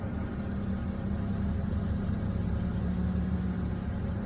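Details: Warmed-up BMW E90 manual with misfires and a funny idle. A loose, intermittent clacking runs under the low, uneven idle once the clutch pedal is released, stopping with the clutch pressed and sometimes with the A/C on. A throwout bearing was suggested, but the owner doubts it.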